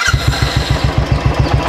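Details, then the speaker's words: Royal Enfield single-cylinder at 15,452 running, after cam gear setting was done. It idles with an even, deep thump. The earlier "kat-kat" tappet noise is gone, and only slight normal noise remains. "ये देखो दोस्तों जो cut cut cut cut आवाज़ था वो पूरी तरह चला गया है, रेस करके दिखाता हूँ।"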